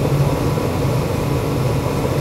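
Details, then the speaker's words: Ruud GPN 75,000 BTU 80% gas furnace after adjusting manifold gas pressure to about 3.49–3.5 in. water column: constant low rumble and airflow hiss, no surging or popping; firing normally, reading fluctuates slightly. "I'd say we're right here in the ball game she's going to fluctuate a little bit"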